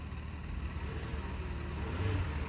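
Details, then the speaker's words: Smooth, steady low idle with an even beat and no ticks, misses or knocks from the 3.6 V6 in a flood-damaged 27k-mile Cadillac SRX; no service lights, AC ice cold; normal idle. "definitely running very smooth I've owned plenty of 3.6 is just not in an SRX so I can feel that it's running right"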